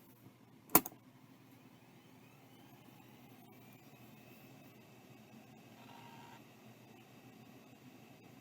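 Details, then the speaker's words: JTS Champ C2000 2 GB hard drive, circa early 1997, powered up: single click, then a faint whine climbing and settling into a quiet steady hum; normal spin-up. "I would call that working that sounds about right for a champ"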